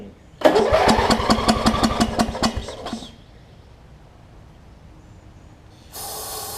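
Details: Wizard (Craftsman-type) riding mower with its old carb beyond use, carb cleaner sprayed in: about two and a half seconds of even starter chugging, then it stops without catching. It cranks but won't start; owner suspects a fouled plug or sheared flywheel key.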